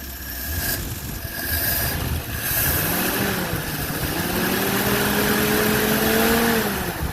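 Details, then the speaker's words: Old Nash four-stroke, warm, after fuel pump sediment bowl repair with a fence post cap: steady even idle revving cleanly and settling back, no misses or knocks, a little blue smoke; running healthy. "What a good runner. Smooth as silk. A little blue smoke."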